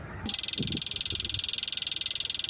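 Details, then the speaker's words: John Deere 310G backhoe whose factory fuel pump is bypassed by an electric pump: with the key on, a new pump clicks fast and evenly as it should; the no-click problem was traced to the fuse box. "we just put this one on and turn the key now you should hear this clicking and it should sound like this"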